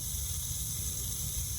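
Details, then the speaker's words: Rain Bird sprinkler valve after diaphragm replacement, solenoid hand-tightened, water turned on: soft, steady hiss of water flowing through the valve with no sputter or surging; normal flow, no leak found. "I hear water going out. And it sounds like it's definitely still coming from that."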